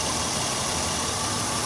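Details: 2001 Honda Odyssey 3.5 V6, about 570,000 miles, check engine light with code P0304, number four coil pack missing, running on five cylinders: uneven stumbling idle under a hissy background. Cylinder 4 misfire.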